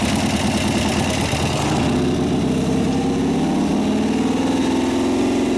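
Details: 1988 Harley FXR V-twin after lifter noise repair, cam change and pushrod adjustment: fires up and settles into an even, loping idle with no tapping or clatter from the top end; sounds healthy.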